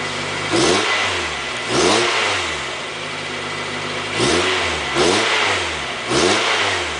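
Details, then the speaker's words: 1990–2005 Mazda Miata engine after timing belt and water pump replacement, coolant flushed and battery reconnected, accessories on to check belt tension: several clean throttle blips, pitch rising and falling smoothly with no squeal or slap; sounds good, normal revving. "sounds good"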